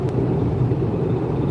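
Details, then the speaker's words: 15-year-old stick-shift car with about 209,000 miles, cruising after a mechanic fixed loose and damaged bolts that had caused a blender-with-metal noise. Even low engine and road drone with no knocks, rattles or misses; running smoothly. "And now you guys can hear it. It sounds beautiful. Like, this is a 15-year-old car. It shouldn't sound this beautiful, right?"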